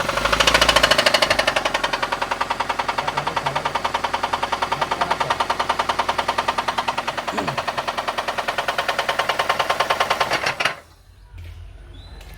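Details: Toyota Avanza engine, oil sludge suspected as the cause: hard metallic knocking about three per second over a rough idle until shutdown; heavy bottom-end knock, likely the bearings.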